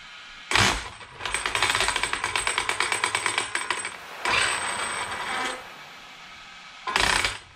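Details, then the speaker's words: Arrma Kraton 8S RC truck run after cleaning: rough, rattling stutter pulsing several times a second instead of a smooth whine; gears check fine, and the owner suspects something inside the brushless motor; suspected motor sensor fault. "that is weird i have a feeling it's inside the motor like rc guy was saying"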